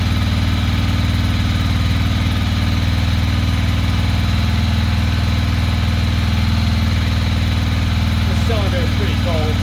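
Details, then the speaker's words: 2006 Ducati Monster S2R 800 after fuel pump replacement, fuel lines primed: low, lumpy, uneven idle about four pulses a second, running on one cylinder; front cylinder stays cold and isn't firing, suspected clogged injector. "cold front cylinder is not firing only the back one's getting hot so we probably have a clogged injector"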